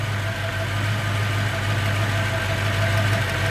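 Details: 1993 Ford Mustang Cobra 5.0L V8 idling with a plug wire pulled: deep, steady idle with a faint loping miss, and no change even though spark is present.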